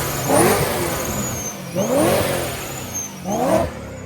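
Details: 600 hp supercharged BMW M3 Club Sport after installing the correct factory blow-off valve spring: three crisp rev blips about 1.5 s apart, engine climbing and dropping cleanly with no knock; repair confirmed.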